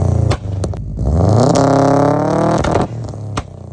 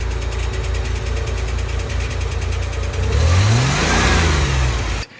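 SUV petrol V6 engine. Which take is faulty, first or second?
second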